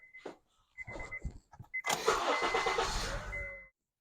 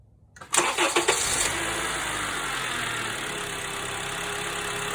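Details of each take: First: 2012 Honda Accord K24 4-cylinder after noisy power steering pump replacement: clicks, crank, then quiet even running with no groan or whine from the pump; power steering working normally. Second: 2012 Honda Accord K24 4-cylinder at start and idle: loud whine rising and falling with rpm from a failing power steering pump; fluid is good, pump being replaced.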